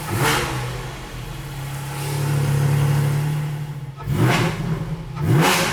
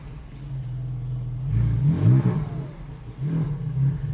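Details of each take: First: GT4 on a lift with Dundon headers and exhaust fitted and the rear section removed, blipped twice from idle: a coarse raspy edge rides each rev rise, the same rasp as before, and the owner wonders if it's just how it sounds. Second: GT4 exhaust in stock operation with the valves closed, after the exhaust work and with a check-engine light to clear: a deep steady rumble rising smoothly on revs, the earlier vibration gone, and the owner thinks it might be fixed.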